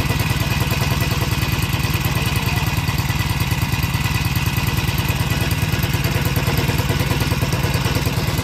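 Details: Green Farm four-stroke brush cutter brought in for heavy vibration when the throttle is pressed, blade checked and intact, started on the primer and recoil: it runs at a steady, even pace with a regular rapid beat and no shaking or rattle. Normal running.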